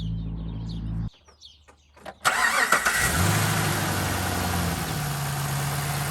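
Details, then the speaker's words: 2013 Chevrolet Caprice PPV, L77 LS V8 with DOD deleted, LS9 camshaft, after replacing the 1x reluctor part with the correct 4x: quick crank catches cleanly into a steady, even idle with a deep exhaust note, no misses or ticking. "thing runs great we'll start it up let you hear that ls9 camshaft it pretty much makes no difference but it made a big difference in top end power"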